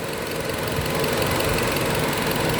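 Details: Car engine idling rough, with irregular stumbles and knocks in the beat, a misfire at idle. The mechanic checks for an intake air leak.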